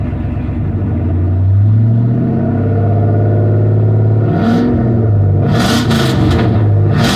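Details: 5.3 V8 parts truck said to have lost its rear main seal, leaked out all oil and started knocking, smelling of oil: revs up and settles with smooth even rumble, no knocking; sounds healthy.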